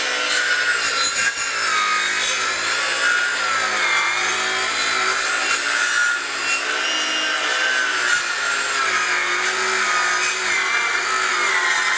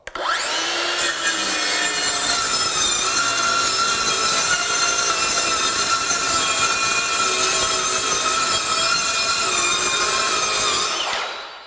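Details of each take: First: Craftsman V20 brushless 7-1/4" circular saw CMCS550B, battery just over half charged, full-depth cut across 4x4 treated lumber: long rasping cut, motor whine sagging and wavering under load as sawdust plugs the dust port and slows the blade. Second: Craftsman V20 brushless 7-1/4" circular saw CMCS550B on a battery showing low bars, ripping a single sheet of 1/2" OSB: spins up fast, holds a steady high whine through the rip without bogging, then winds down; cuts easily.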